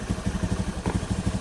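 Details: Scooter after replacing a worn, loose CVT roller housing bushing that caused a loud rattle at idle: even single-cylinder thump, no rattle from the CVT, quiet at idle and when revved; normal running.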